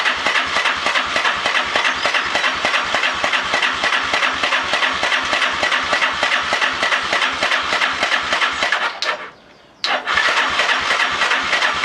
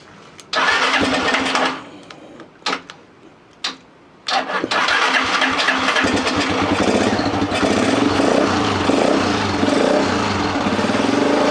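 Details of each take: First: Lifan Earth Dragon 125, hot-wired project bike: quick, even clicking about three per second with a brief pause while cranking but never firing; no spark at the plug. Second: Lifan Earth Dragon 125 single-cylinder, hot-wired project bike: a few short cranking bursts, then it catches and runs on with a steady, even popping beat; normal running.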